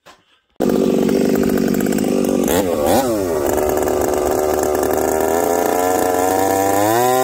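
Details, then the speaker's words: Chainsaw with a new bar and a freshly spun Oregon chain, making a cut. It screams at full throttle but the revs waver and surge, breaking up at the top end; the owner wonders if the ignition coil is failing. "well friends this chain Cuts not too bad the sauce breaking up still I guess we'll go back to the bench with this one maybe it is time for a coil"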